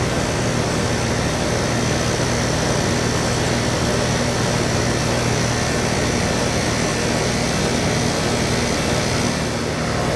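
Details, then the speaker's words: AC outdoor unit during a no-cooling troubleshoot: even, steady condenser fan whoosh over a constant low compressor hum, no knocks or rattles; fan and compressor both run normally. "okay so we know that there is not a problem with the uh outward fan and the compressor because it came on the compressors running the outdoor fans running"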